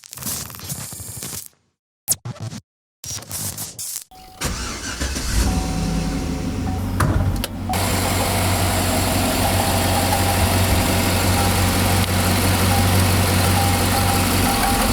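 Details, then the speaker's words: 2008 Chevy Tahoe GMT900, 4.8L V8, about 177k miles, previously driven low on oil: a faint regular knock at start and idle that grows louder when warm. A mechanic diagnosed a failing rod bearing, with metal-on-metal sound from cylinder 2. "So that's the noise the Tahoe is making, and it was so faint at first, but then as we kept driving the Tahoe and took on long drives and it got warmed up, all that stuff, it started to get louder."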